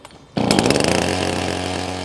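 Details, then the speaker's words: Chainsaw start after the engine fires then dies on full choke: cord pulled until the saw fires, then the throttle is squeezed to set normal idle. It fires sharply, races briefly, then drops to a steady, clean idle without stumbling. "Pull the starter cord until the saw fires. Move round behind the saw and squeeze the throttle to set it to normal idle."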